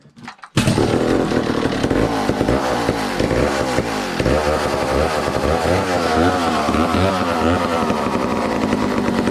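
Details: 1962 McCulloch 1-46 chainsaw, revived after it had no carburetor, fitted with a scavenged old carburetor and intake part: fires up, and revs rise and fall in quick blips that pick up cleanly each time, so it runs healthy.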